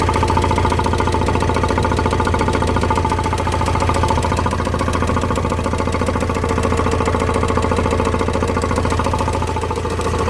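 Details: Vauxhall Vivaro M9R diesel idling with a deep, steady knock about three to four times a second. Bottom end gone: crankshaft seals spinning on the crank due to lack of oil feed from a failing oil pump.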